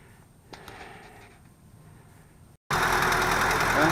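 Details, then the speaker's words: 1978 Toyota pickup after reattaching an apparently squirrel-chewed broken fuel line (fuel pump suspected but working, fuel reaching filter): quiet stretch, then engine fires and holds a steady running note at idle; normal after repair. "I'm seeing fuel coming into the fuel filter under the hood so the fuel pump is working"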